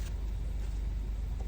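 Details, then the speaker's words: VW/Audi gear selector after bypassing the park micro switch for fault B116229: low cabin hum, then a steady beep as the lever is forced slightly without shifting; over-sensitive switch triggers false shift-to-park warning, fixed by readjusting. "Like if I force it a bit, you can hear that, even though I'm not shifting it. But I've readjusted it a little bit because it was very sensitive. I only had to move it a little bit and it was triggering the park thing."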